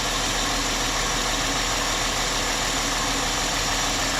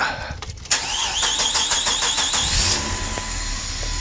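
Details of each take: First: 2003 Chrysler Sebring 2.7 after used-engine swap and a new crank reluctor, cam and crank sensors connected, starting right up: steady even idle with constant hiss-heavy hum, no skips or knocks; cam/crank pattern correct, normal idle. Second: 2003 Chrysler Sebring 2.7 after used-engine swap: brief crank, then catches and settles into steady idle only with cam sensor unplugged; won't start with it connected. Cam pattern reads wrong, mismatched cam sprocket suspected after timing chain set replacement.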